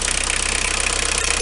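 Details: Renault 21 turbo diesel at 180,457 km: fast, regular metallic clatter over the engine note, present on acceleration for 2 years, audible in the cabin; rocker adjustment done, said not a conrod or bearing; no mechanic has found the cause.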